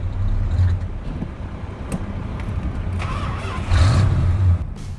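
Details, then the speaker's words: Corvette V8 on a road test; deep rumble bogs and sags unevenly when the throttle opens, then surges; stumble on every acceleration, with a non-working carburetor accelerator pump suspected. "Here I am trying to take it for a road test, but I notice every time I accelerate it stumbles."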